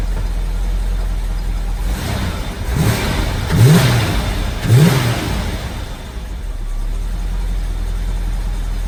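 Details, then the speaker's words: 1986 Pontiac Trans Am V8 after retarding ignition timing to 6 degrees to stop pinging: three quick throttle blips rise cleanly and drop to smooth steady idle, no pinging; normal running, snappy responsive throttle. "You can hear she's running pretty good. Throttle is nice and snappy and responsive, so let's get the Tahoe out of here so we could go for a test drive."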